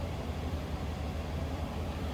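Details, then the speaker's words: 1997 Chevrolet Silverado C1500 longbox, stock 5.7 liter Vortec V8, no warning lights, heard at the rear from the exhaust: steady, even low idle rumble with no misses or ticks; stock exhaust idling smoothly. "Slip around to the back, no obnoxious, crazy exhaust. Just sounds like a stock 5.7 liter Vortec"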